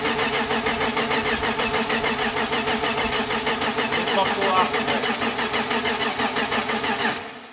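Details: BMW E30 with freshly built M52 turbo engine on Megasquirt, first start: starter grinds slowly, about three pulses a second, never fires before stopping; weak battery, charger needed.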